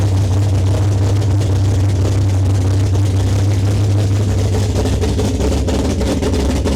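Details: Foxbody 402ci stroker Windsor V8, Vortech T-1 supercharger, big custom HR camshaft, TFS R heads, long tube headers, Holley EFI, freshly built: deep loud choppy lope about two beats a second, steady and strong; normal big-cam idle.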